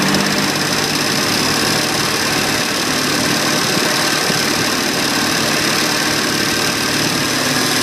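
Busy, rattly engine note with a fast, steady light ticking running through it; the cause of the tick isn't clear.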